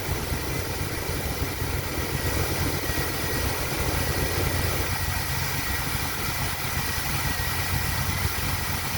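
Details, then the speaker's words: TBI truck just after a cold start, following tank, lines and pre-filter cleaning, fuel pressure 11–12 PSI: cold idle is mostly steady with an occasional small stumble or pop, a slight miss. Cause not determined. "they have a little bit of a mess you can hear it at this point feel the pop up"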